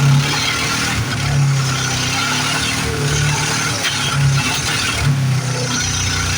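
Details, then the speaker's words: 1973 Plymouth Fury III with 360 V8 just installed after car sat engine-less 7 years: lumpy uneven running with irregular surges and spitting; carb issues or timing suspected. "she took off, but boy, she's sure spitting and sputtering. Really wondering if I've got carburetor issues."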